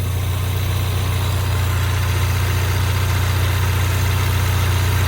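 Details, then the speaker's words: 2016 Ford Mustang EcoBoost four-cylinder, which a shop called junk, at idle. Deep, steady hum with an even pulse and no tapping or rattles. The owner judges it a good motor: brown plugs, no smoke, starts hot, good oil pressure. "So, I'm calling it good motor. Runs good. Got plenty of power. Doesn't smoke. Starts right up when it's hot. Good oil pressure."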